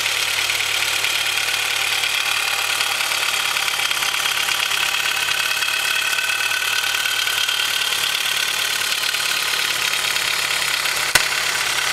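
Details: Honda H22 engine with Mahle Gold Series pistons at slightly too loose piston-to-wall clearance, cold idle: a fast, light piston-slap knock over a hissy engine note. The engine was later rebored with oversized pistons at about 5k miles, with no skirt or wall damage.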